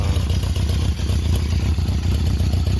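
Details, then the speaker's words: One-owner 1976 Honda CB750K (K6) SOHC four, 2,365 original miles: steady cold idle on choke, slightly lumpy but holding instantly, expected to smooth as it warms; healthy cold idle. "It instantly holds an idle. And of course, as it uh warms up, it'll smooth out some more."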